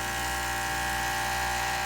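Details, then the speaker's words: Breville 800ESXL with replaced ULKA EFP5 vibratory pump (old one sputtered, brewed poorly), brewing: steady even buzz with no pulsing or rattle, good 15 bar pressure, pouring nicely. "So you can see there we're getting good pressure coming through. That's that 15 bars of pressure. And it's pouring nicely right on through there."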